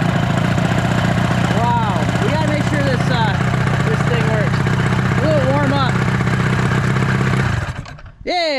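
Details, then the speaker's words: Restored 1983 Evinrude two-stroke outboard, power unit serviced (flywheel work), running out of water before lower unit rebuild: steady, even low burble, smooth regular firing with no knocks or misses; motor runs healthy. "Dude, that motor sounds good."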